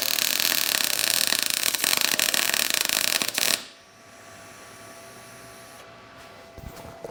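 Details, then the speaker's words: Everlast Cyclone 200ES MIG welder, first arc at its 19 V preset: about three and a half seconds of crisp, even sizzling "bacon" crackle; a healthy, normal MIG arc, though the weld looked gray and needed more gas. ">> Oh, that is nice. So, this does have a you hear that crisp bacon sound."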